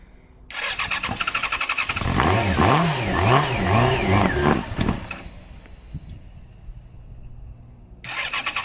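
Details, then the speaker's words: 2014 Yamaha XJ6S Diversion, under 12k miles, after adding petrol to a near-empty tank: catches and revs smoothly for a few seconds, then dies; won't keep running on its own, suspected fuel supply problem, possibly water in the tank, fuel pump to be tested. "right, so you know the engine runs and it actually sounds good. No, we've got to make it run on its own."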